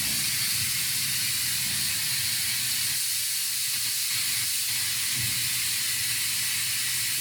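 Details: 1951 Ford Shoebox coupe, LS3-swap project, newly plumbed air bag suspension on battery and switch: steady loud, even, unbroken airy hiss for several seconds as the bags vent; normal lowering, rear already all the way down.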